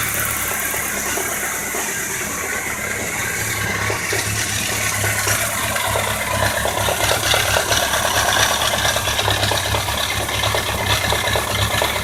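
Busy idle with a rapid metallic ticking and light rattle, near four per second, over a steady hum; cause not yet known.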